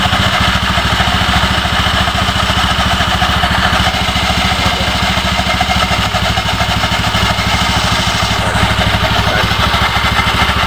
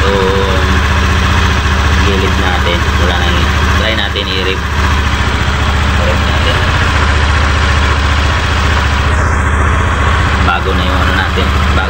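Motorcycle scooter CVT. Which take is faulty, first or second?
first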